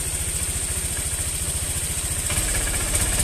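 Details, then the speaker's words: Honda Vario injection scooter revved from idle: uneven thumps, then stumbling, delayed pickup on initial throttle, intermittent while riding; possible causes include weak fuel pump pressure, spark plug cap, plug, TPS sensor, CKP socket. "ini ya dia untuk tarikan awal dia itu sedikit agak berebet teman-teman agak delai nih"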